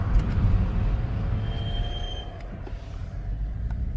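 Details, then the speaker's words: BMW F32 M435i while driving, before a Brembo big brake kit install: low rumbling drone with a faint thin squeal every time the brake pedal is pressed, regardless of speed. Cause not confirmed. "so every time I press the pedal we have this noise"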